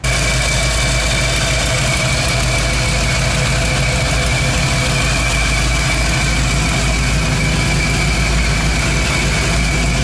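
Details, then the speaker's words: 1985 Ford F-150 just after swapping a failed MSD/Holley dual-sync distributor for an HEI, which starts quicker. Idle coming down at 120° coolant, 21% IAC, target 700 rpm. Smooth, steady low rumble, no miss or chirp. Normal idle. "this starts up a lot quicker with the uh hii it doesn't have to sink we're coming down on idle we're at 21% iak 120 deges we're heating up pretty quick"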